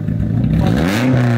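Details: Straight-piped Nissan S13 with a partial EGR delete (owner suspects EGR or a possible misfire), a helper revving it: loud, raw exhaust climbs cleanly as the throttle opens with no popping or stumble. The engine revs healthily.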